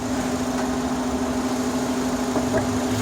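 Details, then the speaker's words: 2005 Honda Accord EX 4-cylinder idling: a steady, even, fan-like hum heard from the cabin, present cold or hot, louder near 30 mph. Owner suspects vacuum, throttle body or intake manifold, unconfirmed. The source is still unknown after three mechanics. "I can like a fan, like it's turned on, but it's not. It's just that annoying noise."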